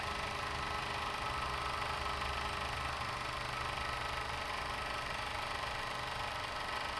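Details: Overlock machine after repair of needle bar/looper touching fault that caused khat-khat knocking, stitching: quick, even whirr with no knock standing out; now runs smooth and quiet.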